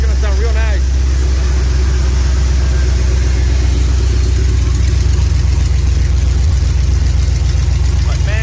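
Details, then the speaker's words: SVT Lightning new-build engine, E85, ported supercharger, EGR delete, open headers, first start cold with no coolant: deep, even rumble with steady firing pulses, no stumbles or shake; smooth idle, slightly high, good oil pressure. "she's steady eddie no shaking perfect"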